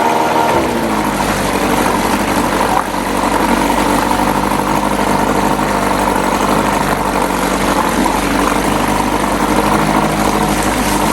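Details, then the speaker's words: 1997 Johnson 6 hp outboard on a 12 ft jon boat, after clearing a clogged tell-tale outlet: fast steady buzzing idle with no hunting; idles very high in neutral but drops when put in gear, idle adjustment untouched. "seems to be running okay it's very high idled when it's in neutral but it goes down when you put it in gear"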